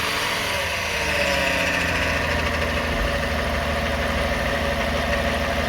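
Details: 2009 Toyota Sienna idling around 1,000 rpm, recorded underneath: light even buzzing rattle over the engine note from the transmission end; owner suspects flex plate, torque converter or transmission pump, not confirmed.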